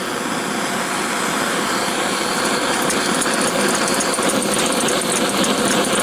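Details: Antique paraffin blowlamp tested after assembly: a continuous hissing roar, slightly uneven as wind blows the flame; it is lit and firing.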